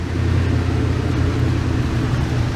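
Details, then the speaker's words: Rusty 1988 Dodge B350 fleet van V8, donor drivetrain for a 1984 D150, idling: deep steady rumble, even low hum with no miss, knock or tick; runs clean. "so she does all right can't tell where the linkages on this so runs good sounds good just rusty be 350 you can hear it just sounds great"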